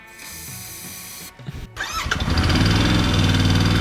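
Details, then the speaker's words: Royal Enfield Interceptor 650 after months standing, with starter spray sprayed directly in at the open fuel filter: brief cranking, a pause, more cranking, then it catches. It runs only with about 1–1.5 mm throttle held. It starts only on starter spray. "okay it runs it runs it runs as long as I give it a bit of throttle about 1 and 1 12 mm but that's good good good good"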